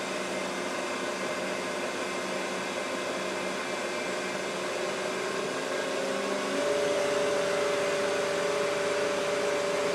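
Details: Mikini 1610L with replacement inverter-duty AC motor on Hitachi VFD, first run: steady loud rushing whir rising in pitch as the motor speeds toward 120 Hz (about 5200–5500 rpm); just the motor's top cooling fan, normal.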